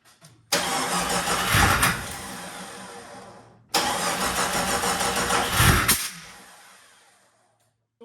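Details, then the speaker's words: Jeep Cherokee XJ 4.0 after a motor swap cranks twice, chugging unevenly and catching roughly but not starting. Combustion happens at the wrong time. A misindexed cam position sensor is suspected. "Yeah, you can hear it. It's got a combustion that's happening at the wrong time, so it doesn't want to spin nicely."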